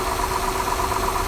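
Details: 2008 Honda Accord 3.5 V6 at idle: fast, regular light ticking rattle over the engine note; suspected valve train rattle from valves needing adjustment, due around 100,000–120,000 miles.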